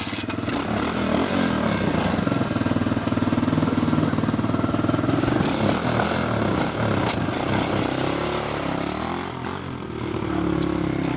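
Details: Newly installed 125cc single-cylinder four-stroke, four-speed pit bike engine in an Apollo DB18, in neutral: steady idle thump at about four pulses a second, even and healthy.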